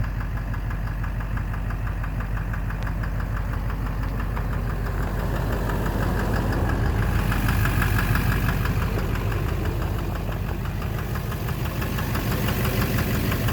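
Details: 2009 Chevrolet Duramax LMM dually diesel, 59,945 miles, idling: hard regular knock about three per second, loud at back/bottom end; suspected injector knock (#5 injector) or cracked flexplate, oil analysis normal, not confirmed.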